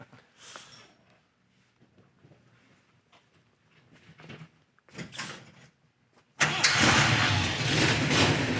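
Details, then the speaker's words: 1969 Dodge Daytona Hemi ('million dollar Mopar') starting after a week unstarted: a few quiet seconds, then it catches at once and settles into a loud, strong, steady fast idle with no misses; normal start. "starts it starts and this hasn't been started in a week"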